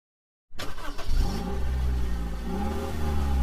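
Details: Seat Ibiza 1.4 petrol before spark plug and coil replacement: it fires up and settles into a lumpy, uneven idle with a stumbling beat, seemingly running on three cylinders. One cylinder is misfiring because of a faulty ignition coil.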